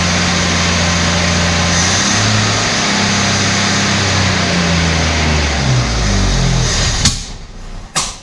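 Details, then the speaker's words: Abandoned Australian Ford Falcon ute six-cylinder, stale fuel flushed, coolant topped up, thermostat opened. Lumpy idle wavering nearly four beats a second, stumbling then cutting out. Owner hoped a stuck valve freed, then suspected lean misfire. "Hopefully we've unstuck a valve. You can hear it running really rough like this stuff."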